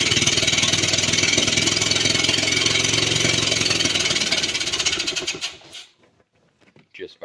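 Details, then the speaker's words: 1985 EZ-GO gas golf cart cranked via the gas-pedal starter: fast regular chuffing for about five seconds, almost firing, then dying; fuel gushing from the overflow tube and a rattling orifice tube point to a carburetor problem. "pressing the gas pedal and you heard the engine actually almost fired off that time"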